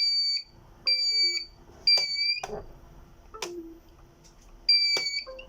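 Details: Birch CPQ3 receipt printer: shrill two-tone beeps in short bursts about a second apart with a clunk between; cutter error, printer cannot cut.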